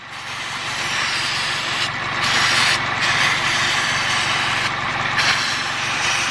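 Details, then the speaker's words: Toyota Corolla idling with a system-too-lean P0171 code, cleaner sprayed near the brake booster line and lower intake: steady idle through several hissing spray bursts with no pitch change, no vacuum leak found; owner suspects a stuck-open PCV valve. "I'm just going to put some down towards the bottom just to see I'm not hearing any pitch difference"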